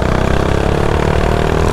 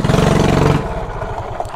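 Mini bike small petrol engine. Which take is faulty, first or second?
second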